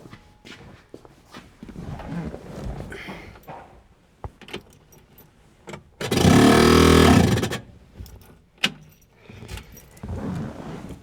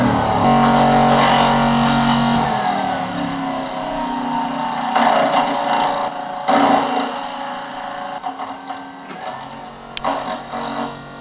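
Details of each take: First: 1968 Ford Mustang convertible, newly installed heater blower motor on first test: a short roar with a rough scraping edge. Owner suspects the squirrel cage is hitting something; unconfirmed. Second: 1968 Ford Mustang convertible heater, newly installed blower motor: even fan hum whose pitch settles and stays smooth with no rubbing or ticking; blower running normally.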